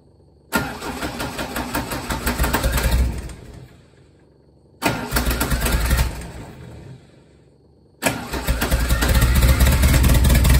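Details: Lotus Esprit no-start: three separate cranking bursts of about three seconds each with a steady starter rhythm, and the engine never fires or catches.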